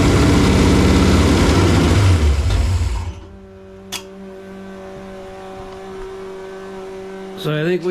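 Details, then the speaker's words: Foxbody convertible with a supercharger and a rebuilt carburetor: hard revving drops to a weak, lumpy idle that barely keeps running, near stalling. It starts with the choke; owner suspects something plugged in the carburetor's mid-range circuit. "we've determined it's the carburetor starts with the choke but there's got to be something plugged in the mid-range"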